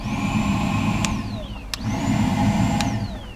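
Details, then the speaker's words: 2009 Ford Fusion with codes P0410 and P0491: the secondary air pump is commanded on with an activation kit on its relay. A vacuum-like whirring drone with a thin whine that climbs and falls away shows the pump running, heard unexpectedly near the air filter housing. "sounds like the pumps in a different location than what our visual inspection showed but maybe just because I'm hearing it looks like it's pumping into the air filter housing"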